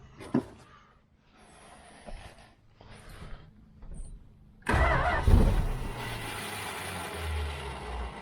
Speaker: yeah she's dying right away i don't think she's holding any gas in that float full up with dirt